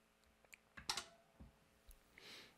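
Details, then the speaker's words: Icom IC-7100 with an external MFJ-939I antenna tuner, powered on before the radio: quiet, irregular relay clicks as the tuner steps through settings during tuning, which is normal operation. "and i'm not sure if you could hear the clicking there's some relays for the tuning in here"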